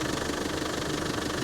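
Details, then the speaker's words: 1995 Land Rover Defender 90 pickup, 300Tdi diesel, 153,000 miles, just started after the glow plug light cycles: an even, regular diesel clatter at a steady idle with no stumble or odd knock; runs very smooth, with no blow-by and no smoke. "glow plug light comes on and off and it is running fantastic very smooth engine"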